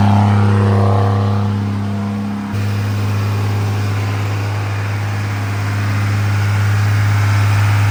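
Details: Freshly rebuilt 2nd-gen Cummins diesel during break-in, after plugging in the camshaft position sensor: smooth, steady low drone with even firing and no knocks or rattles throughout; normal running.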